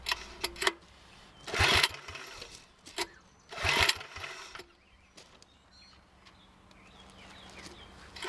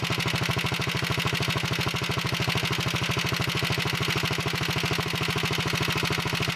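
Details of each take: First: 1961 Wheel Horse model 401 tractor engine, choked: it catches in two short, ragged bursts a couple of seconds apart and dies each time. The fuel bowl is full. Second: 1961 Wheel Horse model 401 tractor, small single-cylinder engine started cold on full choke after setting the point gap: even, steady beat about 158 per minute with no misses or knocks; sounds pretty good, smokes a little on throttle.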